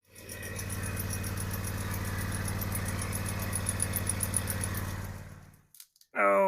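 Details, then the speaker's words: John Deere X590 mower. Steady engine drone with a fast, light ticking rattle, three or four a second, suspected from the drive-belt idler pulley. Idler pulley bearing noise; the tensioner pulley was replaced. "Pulled this in the garage the other night and heard something rattling underneath. Sounds like maybe an idler pulley from the drive belt. Not quite sure."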